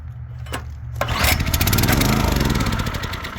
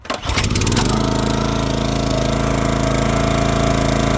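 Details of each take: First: 2022 Oregon 3000 log splitter, 6.5HP Kohler single-cylinder, warm, fuel on, choke off, before the fix: it fires, sputters unevenly for a second and shuts down; the faulty low-oil sensor is cutting the engine. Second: 2022 Oregon 3000 Series log splitter, 6.5HP Kohler single-cylinder with about 20 hours, after unplugging the low-oil sensor wire to bypass it: catches within a second and holds a steady, even drone, so it now runs normally.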